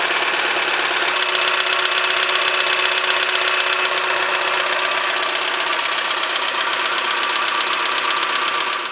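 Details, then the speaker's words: 2006 Opel Zafira with the 1.6 Z16XEP 16-valve engine at idle, louder when warm: quick light tapping about four a second from the intake manifold area; valve clearances were fine, and the cause was a loose, worn intake manifold flap. "Если все зазоры в порядке, то полезем в коллектор, потому что стук идёт где-то вот вот в этом районе районе коллектора."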